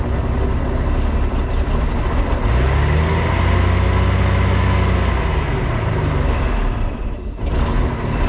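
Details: 1996 18 ft boat, Mercruiser 4.3 engine, after replacing spark plugs: deep uneven idle that surges then stumbles; intermittent misfire still breaking up at idle though better; fuel pump to be replaced next, fuel possibly 30 years old.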